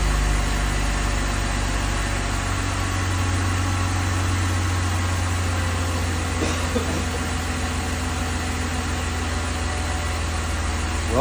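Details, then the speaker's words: 2002 BMW 330Ci at cold start, heater on low: steady low idle, even hum, no ticking; earlier tick gone, owner suspects a collapsed lifter pumped back up, coolant loss unexplained. "go figure it's not making the noise so it's got to be a collapsed got did a collapsed lifter"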